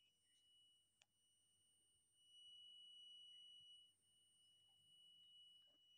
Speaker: With this one, there is a beep sound you can hear, that is whether our multimeter is in correct position or not.